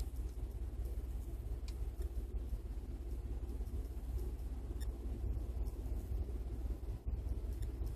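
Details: 2012 Ford F-150 5.0 V8 on cold start: low, uneven idle, deep rumble pulsing and stumbling, bucking; owner attributes it to ignition timing retarded 9 degrees on the cold-start map, with barely any vacuum; smooths after about a minute as timing goes positive.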